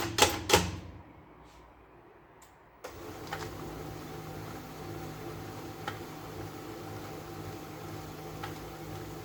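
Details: HP LaserJet P1102, previously noisy with paper jams from a broken gear, printing after a second-hand gear was fitted: a few clicks, then a steady soft whir with light regular ticking and no grinding; the gear train sounds healthy.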